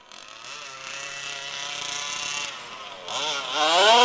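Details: HPI Baja SS RC car with Zenoah G320 engine and V2 Dominator exhaust, rebuilt, on 91-octane ethanol-free fuel with Bel-Ray oil at 32:1; high-speed needle test: screaming two-stroke buzz revving out sharply, thin and peaky at the top, slightly lean (later corrected).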